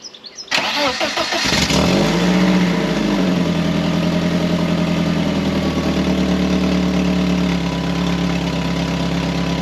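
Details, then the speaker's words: 1997 BMW Z3 1.9 after fitting a new front exhaust section with catalytic converter, O2 sensor hole left open: quick crank, then a loud raspy idle with sharp chuffing puffs, exhaust escaping through the hole. "Nope. Definitely not quieter. A lot a lot louder because it's effectively got a hold of the exhaust."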